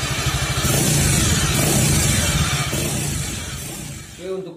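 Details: Suzuki Nex FI scooter after CVT and gearbox repair for worn gears, fixing harsh noise and weak power. Engine and belt drive run smooth and even, revving then settling with no harsh rattle or grind from the gearbox.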